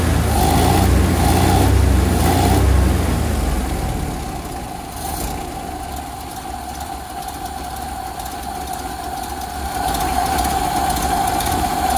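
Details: 1928 Ford Model A four-cylinder, long-stored, starting after carburetor rebuild (old fuel like chocolate milk), carb at initial settings with idle and adjusting needles one turn out; runs just barely with uneven lumpy, wavering, surging rough idle; mixture likely needs adjustment.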